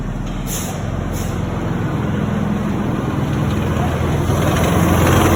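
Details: Truck idling with a loose, uneven metallic rattle over the engine rumble from the PTO, which the owner believes was damaged from the factory; factory disputed it, not confirmed.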